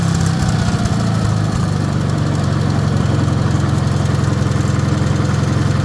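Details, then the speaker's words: Wisconsin THD air-cooled engine, previously rebuilt (babbitt and shell bearing rods reused), fitted with a flush head replacing the factory aluminum head, running on a bench at steady idle: even low thumping, no knocks, noticeably quieter; normal running. "All right, there she is. Now you see this head. See how different it looks? I mean, it just kind of tucks right in there flush. I just kind of thought that head was cool, but man, it definitely makes it quieter."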